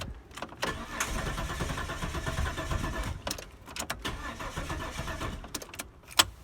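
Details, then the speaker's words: 1998 Holden Commodore Berlina VT, stored five years, fuel pump replaced after no-fuel diagnosis and blowing pump fuse, new fuel: steady starter whir, engine turns over but never fires; crank no start, starter fluid next. "right nothing there we'll try some starter fluid see what happens"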